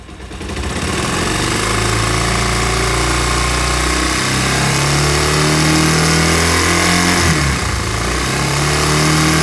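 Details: Bajaj Pulsar 150 BS4 motorcycle at idle: fast even whirring rattle about four per second; worn balancer pinion, replaced to fix the sound.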